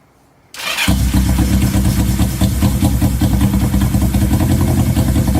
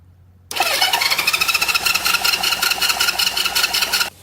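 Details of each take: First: 1970 Honda CL350 after sitting 42 years, started on choke; idle had been hanging (vacuum leak or sticking throttle cable suspected). It now settles into a steady, even idle with no misses or knocks, running good. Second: 1970 Honda CL350 after sitting 42 years, plugs gapped to about 30 thou, plug wire cooked: the starter spins the engine with steady compression beats near three a second but it never fires. No spark, with the points and the coils' power supply being checked.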